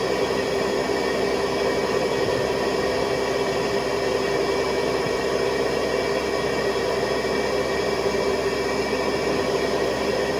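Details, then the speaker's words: 1970s Hoover Convertible vacuum with attachment hose, motor on high speed (400 to 625 watts): smooth even high-pitched whir at constant speed, no surging or grinding; healthy motor. "So what I'll do is I will switch it on, and then you can hear the motor shift into high speed. So they go from 400 watts to 625."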